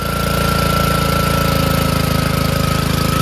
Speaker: I just pull started and it started guy said that the pump is busted so I'll probably use this engine for a mow or something